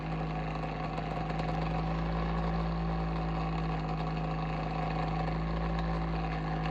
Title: Abnormal sounds from Bionaire Ceramic Heater Tower (What’s wrong?)